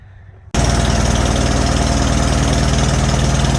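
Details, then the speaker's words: Farmall H tractor with Delco distributor, during carburetor adjustment: engine runs with an uneven skipping beat about four times a second; spark is jumping to the distributor hood and dropping cylinders, stopping when the hood is pulled away. "yeah we're jumping sparks see when i pull that hood out we're not skipping spark anymore from the right yeah that ain't good"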